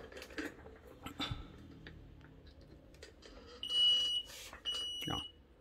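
Quiet room, a few handling clicks, then two clean high beeps at switch-on with no valve click after; unit powers up normally.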